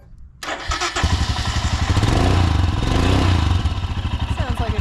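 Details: 2022 Royal Enfield Himalayan single-cylinder motorcycle after an air filter change: quick start, then a steady even thump at idle with no misses or rattles; healthy.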